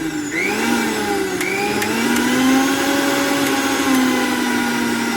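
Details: Usha mixer grinder, 230 V AC, after bush repair: steady high-pitched motor whine rising smoothly to constant speed, no rattle or knocking; normal motor run.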